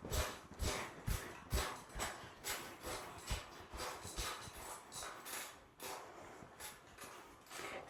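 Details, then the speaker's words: Brand-new trifold Cellerciser rebounder just after its springs were oiled with 3-in-1 oil. A sharp springy creak on each landing, about two a second, fading as the oil works in. Squeaky dry springs. "So, as you can hear, it's starting to get more and more faint. So, as the oil works into the springs, and the more you use it, see how it's becoming quieter?"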